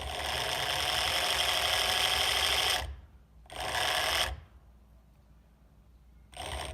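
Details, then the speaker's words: Evolve One electric skateboard drive motor failed after a couple of months of riding, turns roughly with the belt off, before replacement: harsh gritty whirring in bursts under power, rough rather than smooth; failing motor grinding. "that is not what it's supposed to sound like so it is grinding on something"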